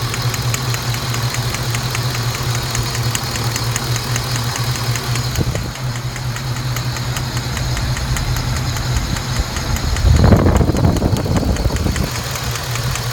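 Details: Saab 9-7X at idle after spark plug installation: light, fast tick about three to four a second; a loose or poorly seated plug is likely.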